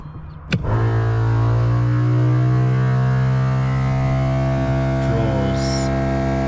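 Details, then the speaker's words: Compressor (thumper max) on a Nissan Patrol 12V build, running unloaded: steady droning howl with a low hum settling to an even pitch after startup; can draw up to 40 amps under load; normal running. "So that's a thumper max, you can hear howling there. Not under load, so it can draw up to 40 amps under load."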